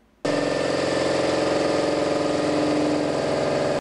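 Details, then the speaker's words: Brake judder occurring above 80 km/h under medium brake pedal pressure, also felt in the steering wheel and pedal: a deep, throbbing drone with a fast, even pulse, from a thin, worn disc with excessive runout. "ruído que acabamos de ouvir ele ocorre em altas velocidades acima de 80 km/h e com uma média pressão no da do freio"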